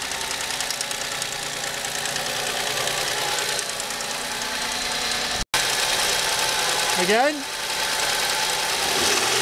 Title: car engine rattling - What's this Noise?